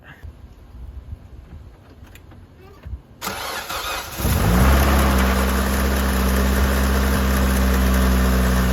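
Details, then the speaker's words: Car just repaired, first start: cranks, catches and settles to a steady idle with a faint, regular light tick over it; ticking at start and idle, source undetermined. "Uh that sound is what it's turning now. That ticking sound. I don't know if you guys can hear it."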